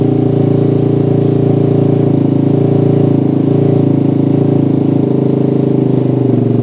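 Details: Motorcycle with a PWK carburetor and racing exhaust after curing the helicopter-style stutter (brebet) by resetting the air screw to about 2.5–3 turns. Smooth, even single-cylinder idle with no stumbling or misfire gaps: stable, normal idle.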